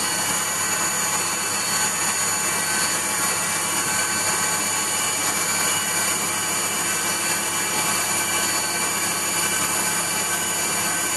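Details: Waldown/Dumore tool post grinder on a lathe internally grinding a bronze bush: high steady grinding whine with faint hiss of wheel touching the bore; contact uneven, light and tight in places, set by sound.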